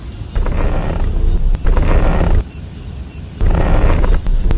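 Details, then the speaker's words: Steering-wheel turning noise on a car: low groaning creak in bursts each time the wheel is turned, fading between turns; said to be cheaply fixable for tens of yuan, though a shop quoted 3000 for steering rack, lower arm, shocks and alignment. "打方向有异响，明明很好解决，但是你去修理厂，你猜他敢收你多少钱？"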